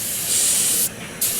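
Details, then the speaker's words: Riding lawn mower tractor tire that went flat in under a day: loud sharp steady hiss of escaping air through a puncture, briefly dropping then returning. "This particular tire started going flat pretty quick, like less than a day. And you can hear it. There's a very audible leak."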